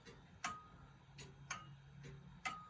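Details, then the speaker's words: Antique grandfather clock on test, beat picked up by a clip-on pickup and amplifier; crisp ticks alternating evenly tick and tock with regular spacing and no limp; clock in beat. "got a more of an even tick, tock, tick, tock. I mean, you don't want it to be tick, tick, tick, or tock, tock, tock, or anything of that nature. That's pretty much the sound you want."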